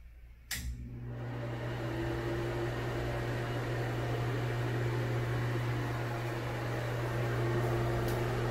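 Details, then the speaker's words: Broan Heat-a-vent bathroom exhaust fan and heater unit with a non-working heater, rated 70 CFM and about 4.0 sones, fan switched on; steady low hum and airflow hiss, not buzzy at all, normal running. "Doesn't seem too loud in here, but this one's not as buzzy. Actually, not buzzy at all."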